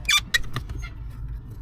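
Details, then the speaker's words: VW T4 clutch pedal: two or three sharp high squeaks as the pedal moves; owner suspects something cracked or broken, cause not confirmed. "That's a bit better already. Still a bit of a squeak. Yeah, something's cracked there."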